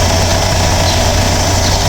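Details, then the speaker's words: 2010 Mitsubishi Strada 4D56 diesel, previously hard starting and low power with EGR codes, after four injectors calibrated and new relief valve and suction valve assembly installed: steady even idle clatter, no shaking; normal idle. "naar ni one click na at maging maayos na yung k hindi na siya nanginginig at wala ano ginawa ginawa yung andar good job na good job"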